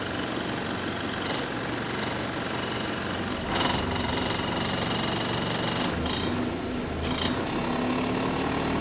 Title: Curtail, Rattily Idle, Weird Axle Noises Developing | SLN 36686 On Bus Route 181 Part 1 (4)